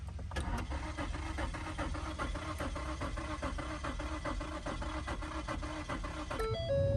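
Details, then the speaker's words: 2015 Ford Taurus Limited after an unnecessary fuel pump replacement: even, fairly quiet cranking about four beats a second, never firing, then a chime; fuel pump audibly runs, owner suspects alternator, fuses or faulty wiring. "we can try it again starting but yeah it's getting fuel but it's not igniting I don't understand damn that actually sucks"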